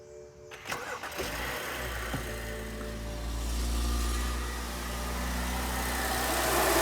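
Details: 2011 BMW E70 X5 35i cranks and catches on cold start, then a steady howl rides over the idle before going away.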